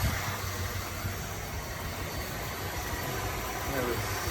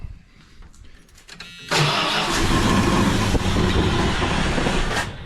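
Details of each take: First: 1978 Dodge Diplomat that sat in storage since 2007, after the Lean Burn ignition conversion, idling at 750 rpm with timing advanced to 10: smooth, even low rumble, no misses, knocks or hunting; normal idle. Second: 1978 Dodge Diplomat sat 18 years since 2007, old fuel drained, ignition converted from Lean Burn, 12V coil, timing set slightly advanced; with gas poured in it cranks, catches with a roar, holds a few seconds and dies; fuel-related.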